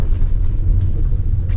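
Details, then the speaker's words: 2016 Daihatsu Ayla driven over bumpy road and a speed bump after replacing shock supports and stabilizer links: steady low road rumble, no gluduk clunks from the suspension at all. "ini ada polisi tidur lagi aman nggak berbunyi sekali nggak berbunyi sama sekali ya teman-teman"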